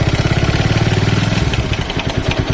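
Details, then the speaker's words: TVS Apache RTR 200 4V at 38,474 km, idling with a fast, even tak-tak ticking about ten times a second on every beat. Worn timing chain rattle, before chain replacement. "ऐसी आवाज़ आती है टक टक, ठीक है। तो आप समझ लेना कि टाइमिंग चैन गई आपकी बाइक की, ठीक है।"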